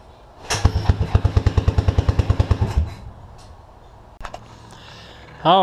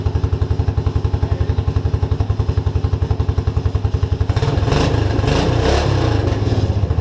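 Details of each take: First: Suzuki King Quad 300 single-cylinder carbureted ATV, tank lower than carb: it barks about two seconds at roughly three firings a second, then quits abruptly as the bowl runs dry; fuel starvation because the fuel pump cover was installed wrong, so it couldn't suck fuel. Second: Suzuki King Quad 300 single-cylinder, still warm from running, after fixing fuel pump problems: even thumping idle with a firm steady beat, then clean pickup on a few blips; no fuel starvation, running well.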